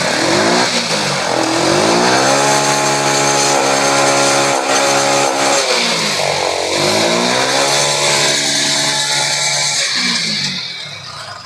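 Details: TVS XL100 BS6 after reset and cleaning a dirty petrol filter, which had caused hard starting, stalling while riding and poor pickup; engine picks up cleanly on throttle, holds a smooth fast run, revs again without stumbling or cutting out.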